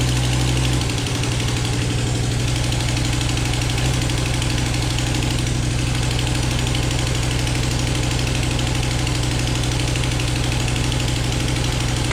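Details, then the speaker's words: Volvo S60R engine just shimmed and reassembled, first start: steady lumpy idle with fast regular puffing tick over low rumble; sounds like an exhaust leak, possible misfire, connections to be rechecked, unconfirmed. "that sounds like an exhaust leak right there"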